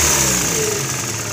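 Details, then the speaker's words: VW Gol with CHT engine, valves adjusted without change: quick light tapping over the running engine that sharpens with revs; play at the clutch shaft support, likely a worn bushing, not the valves. "então galera como vocês podem acompanhar aí não seria né as válvulas e sim aquele suporte lá da da embreagem que tá com tec tec tec tec"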